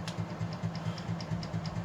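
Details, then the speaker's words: Plantation Fan Company ceiling fan with universal motor on high speed: steady low hum with a light metallic tick about four times a second, a stationary shaft rattle. ".56 25 watts still low power factor you can hear that stationary shaft rattling though f 25 it's annoying me"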